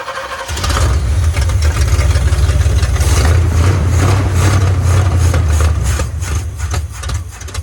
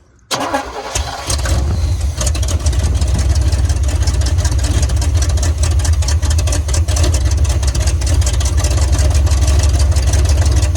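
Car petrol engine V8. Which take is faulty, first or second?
first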